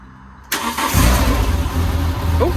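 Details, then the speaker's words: Renault Clio 182 with a replacement engine, first start on a jump start, aux belt left off: engine catches but low idle pulses unevenly and stumbles, running rough and stuttery; cause unknown. "starts. It's a bit It's a bit stuttery, but it starts. That's a bonus."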